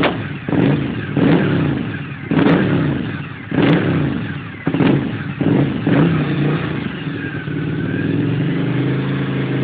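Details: Suzuki SV1000S V-twin motorcycle blipped repeatedly, revs ragged and uneven with sharp exhaust pops and flames; misfire, owner says it needs new spark plugs, cause unconfirmed.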